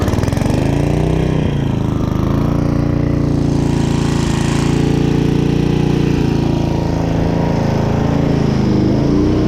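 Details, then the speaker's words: Restored 1995 Briggs & Stratton Gen Power 8 hp generator after carburetor cleaning, powering a small air compressor: strong steady low drone dips briefly as the load comes on and recovers cleanly, running healthy under load. "so I got a small air compressor right there and we're just going to see if it turns on that thing's loud as too so you'll be able to hear it"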